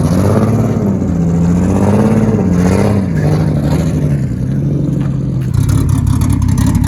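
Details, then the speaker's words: Big-turbo drift car under throttle: uneven, stumbling pulls with a choppy, lumpy note that doesn't smooth out; running better but still missing. Owners suspect flooding or a failing airflow meter, cause not confirmed. "it sounds like it's running better but it's still missing yeah but it's like picking up on what it was yeah"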